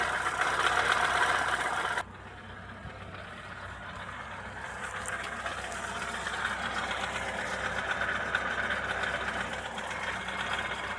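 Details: Opel Astra F 1.4 8v Si (C14SE) at idle: loud whirring, rasping grind and a steady knock about four times a second, seemingly from the lower engine; failed coolant pump, engine quiet after pump replacement.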